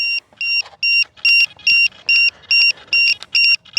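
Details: FMS P-51 Voodoo V2 RC plane with an RCHacker pack after a flight: a loud, high-pitched two-tone beep repeats about twice a second. It is the low-voltage alarm; a cell reads 2.83 and the battery lead is toasty.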